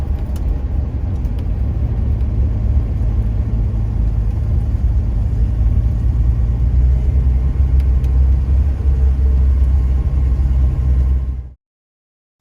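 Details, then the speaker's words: 1975 Jaguar XJ6 on its first around-the-block test drive after head machine-shop work and reassembly, engine flush and oil change: deep steady drone pulling smoothly to about 60–70 km/h, no knocking or stumbling; engine sounds good and pulls strong. "back home again and i call that a successful first you know just around the block test drive everything else seems to be working like it did before engine sounds good it's pulled strong"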